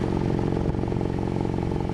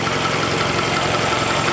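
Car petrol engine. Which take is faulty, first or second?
second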